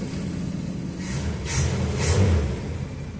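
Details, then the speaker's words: 1969 Dodge Dart slant six, sat 6 months with 10% ethanol gas, started once fuel reached the bowl, known transmission leak; low steady rumble settling and evening out after start, no knocks or misses: normal idle. "Excellent, smoothing right out. Gotta love a slant 6. Just really simple."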